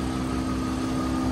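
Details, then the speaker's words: Jeep XJ project running after its first start, with clogged catalytic converters and smoke clearing. It gives a steady, even idle with constant pitch and no misses or knocks; the heater blower motor is also audible. "look how much smoother that bad boy run purr's like a kitten when you when you do correctly"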